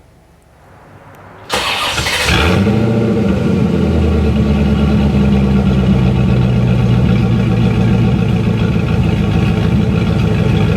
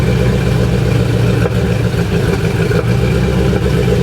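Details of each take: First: C4 Corvette V8 fires up after a brief crank and settles into a steady, even idle with no popping after valve lash adjustment with the engine running, a 2.5-inch front Y-pipe deleting the front cats, and Cherry Bomb glass packs. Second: C4 Corvette V8 at idle with a new 2.5-inch front Y-pipe (front cats deleted) and Cherry Bomb glass packs: loud, deep idle with occasional sharp exhaust pops. It sounds like a burnt valve; after a valve job the owner suspects an over-tight rocker arm holding a valve open.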